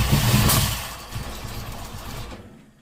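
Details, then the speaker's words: Ford V8 with Holley Sniper 2 EFI, fuel pump primed, TPS 0.0, battery 12.7 V: sharp pops and bangs as it tries to fire, then fading; backfiring, mostly out one side. Owner first guessed too much fuel; ignition timing was wrong and was reset at TDC. "Okay, I'm not sure why it keeps backfiring like that. Or I guess maybe too much fuel."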